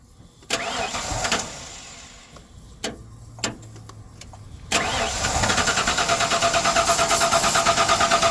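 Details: 1996 Ford F250 XL V8 pickup with suspected bad fuel pump, started on starting fluid: cranking bursts, then catches into a quick, fairly even beat; turns off without the fluid, though idling smooth on all eight cylinders.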